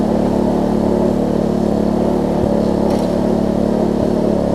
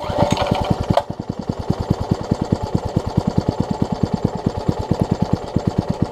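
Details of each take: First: Troy-Bilt Tuffy rear-tine tiller, reassembled from parts with a new fuel pump diaphragm replacing a cracked, dry-rotted one; a worn cable is noted. The small single-cylinder engine holds a steady speed with even firing and no misses or knocks: normal running. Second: Troy-Bilt Tuffy rear-tine tiller being reassembled. The carburetor diaphragm's orientation was in question; fuel is drawn up but not held. The single cylinder putters at about eight chuffs a second, lumpy and not holding speed: fuel starvation, fuel pickup also suspected.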